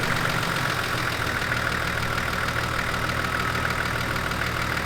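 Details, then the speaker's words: GQ Nissan Patrol TD42 turbo diesel on the day of its first drive after a two-year build idles too high, a steady even clatter with no dip or hunting. The idle arm actuator on the pump was out of adjustment and the screw is wound back to about 600 rpm. "Let me tell you where the res. I can hear it. It's too high."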